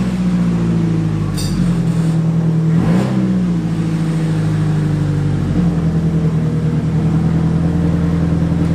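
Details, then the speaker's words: VH45DE cranking after a capful of oil in each cylinder to ease hard turning; steady slow cranking about three and a half beats a second, heavy low drone, won't fire; owner suspects unprimed oil pump. "just gonna put like a cap full of oil into the cylinders every one and then try to crank it hopefully he'll kind of lubricate the cylinders like I was sand and be able to turn easier"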